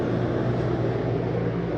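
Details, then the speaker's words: Rooftop AC on a 2022 Mesa Ridge 281BH RV, switched to cool at the thermostat: an even low hum with steady fan rush coming up smoothly, no rattles or squeal. Normal startup. "Get your AC going. Turn that down. Hear that. There it goes."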